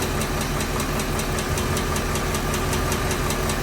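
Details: Remanufactured GM short block at idle: crisp, light lifter tick about 2.5 per second, suspected on the valve side because remanufactured engines don't come set and may need valve adjustment; not confirmed.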